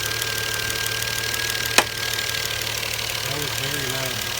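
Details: 2012 Volvo S60 T6 3.0L at 87,000 km: loud intermittent clicks, like knocking on hard plastic, from the top or back of the engine. They occur on cold start and during cool-down after shutoff and stop once warm. The dealer could not find the source.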